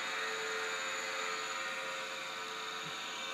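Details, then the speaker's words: National/Panasonic NV-850 HiFi stereo VHS VCR in play mode: steady high whirring hiss with a constant whine from the head drum, head bearings suspected worn, video heads also worn; loud mechanical noise from head drum. "wow the heat sounds a bit I think they head bearings are wrecked wow making a racket"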